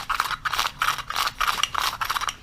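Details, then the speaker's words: Modified Chinese 80cc motorized-bicycle recoil pull starter pulling normally: quick, even ratcheting bursts, about three pulls a second, with light grittiness or grinding said to be normal. "there's been already modify and you can see how smooth it is even though you still hear a little bit of grinding"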